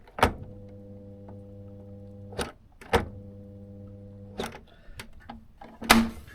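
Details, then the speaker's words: Electrolux/Simpson 39P400 3.5 kg tumble dryer, door catch missing its striker-plate screw, catch held manually: a click then steady low buzzing that never spins up, twice; motor not starting, suspected faulty start capacitor plus faulty door switch. "you can hear it trying to start. And that I'm I'm manually controlling the the automatic door catch there."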